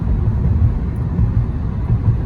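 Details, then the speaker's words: 2011 Honda Accord driving after left wheel bearing replacement: steady low road rumble with no growl or hum building with speed; bearing noise gone, running normally. "I don't think I hear anything. The left wheel bearing was replaced and it drives normal, like it should."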